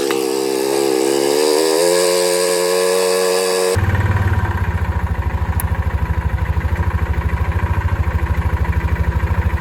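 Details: 2006 Yamaha Rhino 450, in neutral with thicker-weight oil added to soften knock: slow, heavy thumping idle with deep knock each beat; rough running, owner suspects low-end knock, cause unknown, rebuild planned.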